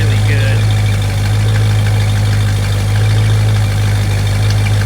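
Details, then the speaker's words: 1965 Ford Mustang coupe after carburetor rebuild, no longer flooding: deep, steady, unbroken idle burble with no stumble; engine idling healthy, needing only minor adjustment. "So just hang out, let's let her idle. We'll need to adjust it a little bit, but we're right there. This just sounds really"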